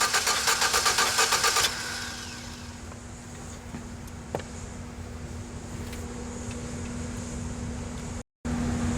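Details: 4.3L V6 GMC pickup that stalled after a banging noise, with ignition timing mark correct and fuel pressure at 50 psi: steady, even cranking at about four beats a second that never fires. Crank no start.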